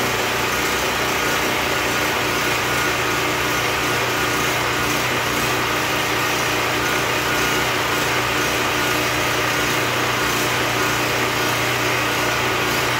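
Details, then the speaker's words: Predator 4375 W generator after stator and rotor replacement, no load, choke used on start; steady, even high-pitched drone with no misses, knocks or hunting; outlets confirmed at 110 V: normal running. "And other than that, that's it. It's a good running generator."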